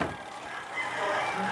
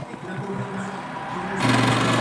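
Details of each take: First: Spin dryer repaired for a noisy-running complaint, brake removed, lid safety switch cuts the timer supply: after repair a quiet even whir from the spinning drum with no rubbing or scraping; running smoothly. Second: Noisy spin dryer after brake adjustment; steady motor hum, then a harsh hissing scrape as the drum spins up from the brake pad dragging, adjustment did not fix it, brake pad replacement considered.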